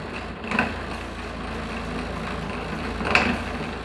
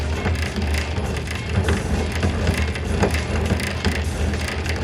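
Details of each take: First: Bread maker on the normal loaf setting, second kneading stage, after a new belt was fitted and the broken sprocket was reinforced with a ring and spring wire. Steady churning with soft thumps as the dough rolls, no slipping. Normal kneading. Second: Bread maker with new drive belt, second kneading stage: motor keeps turning under irregular crunching clicks as load builds; the gear/sleeve slips and the belt stalls while the motor spins, to be inspected later.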